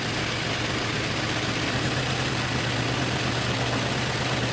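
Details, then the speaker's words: 2013 Infiniti G37 at idle after misfire codes were cleared. A steady idle with a low, uneven lope and cutting out; the misfire code did not return right away. A coil was suggested as the cause, but this is unconfirmed. "As bad as this thing here is cutting out, the misfire should come right on back."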